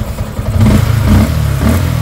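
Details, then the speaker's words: Sniper 155 with a broken cam bearing, after replacing cams and tensioner: engine blips up and settles back cleanly, smooth low drone with no ticking or rattle from the top end; now quiet, normal revving. "Okay, tahimik na pati bulsa, 25,356."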